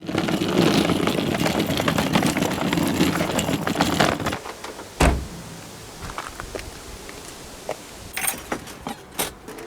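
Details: Fiat 126 unused for 4 weeks won't start; briefly runs then dies, suspected flooding: starter churns steadily about four seconds with pedal pumping, engine doesn't catch, then quiet clicks; cranks but won't fire.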